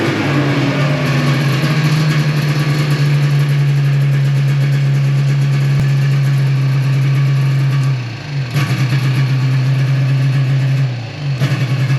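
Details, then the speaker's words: 1995 Yamaha Phazer II two-stroke snowmobile, rear raised off the ground, first run after sitting five years, on choke: steady buzzing idle dipping and recovering on two short blips; clean, even running with no misfire. "that's a little better I know it sounds like it's running pretty good well I don't think that was too bad for it sitting for five years"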